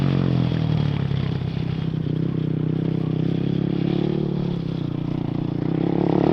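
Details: 2007 Yamaha YFZ450 quad after fitting new Jet Lab carburetor to cure popping: single-cylinder thump runs smoothly through gentle throttle changes, no popping or backfires during short yard ride; engine healthy, popping thought to be fixed.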